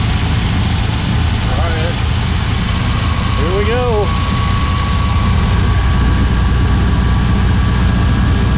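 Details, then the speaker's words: 1964 Triumph TR4 on first drive after DIY rebuild of TR3 3-synchro gearbox and overdrive, hot 95-degree day: steady even low rumble, no knocking, grinding or gear whine; gearbox shifts cleanly, but overdrive solenoid not engaging in third/fourth. "all right so so far the transmission seems really solid shifts in and out of gear no funny noises or anything like that"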